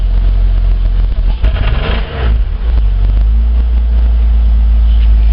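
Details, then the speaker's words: VS Commodore, about 300,000 km, idling too fast even warm: engine revs hard with uneven stumbling beat then heavy drone, missing badly under acceleration; owner suspects lean running and poor plugs, not valves, no oil smoke. "can also see that it's our boy here that it misses quite badly when you boot it"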